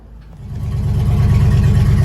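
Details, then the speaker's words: 1955 Buick Roadmaster after exhaust holes were patched: fires right up with a deep even rumble swelling smoothly on revs, no puffing or ticking, exhaust leak gone, normal running engine. "it fired right up and the exhaust leak's gone runs better than that old [Music] C10"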